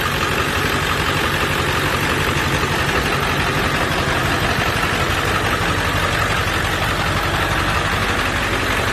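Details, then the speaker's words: 1999 Ford F-350 diesel, ZF6, about 299,000 miles, engine resealed, new water pump and thermostat: steady even idle clatter, no misses, surges or knocks; sounds healthy. "water pump is new thermostat is new it sounds healthy very healthy"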